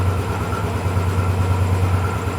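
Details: Royal Enfield Bullet 500 EFI single at idle after the rocker arm oiling was checked to stop a tik-tik noise: deep, even thump with a steady beat and no top-end ticking; sounds healthy.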